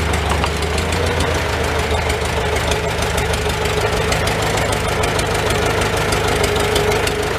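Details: Old Farmall petrol tractor started on choke, in neutral, idling inside a tight, smoky shed: steady low chug at about three firings a second, fairly even with no loud knock; normal idle.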